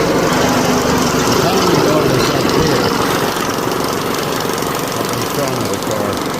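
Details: 2004 PT Cruiser 2.4 at idle: a loud, rough, constant clatter. The source is not pinned down; the tensioner is hoped to be at fault but unconfirmed, found during cam/crank correlation scope testing.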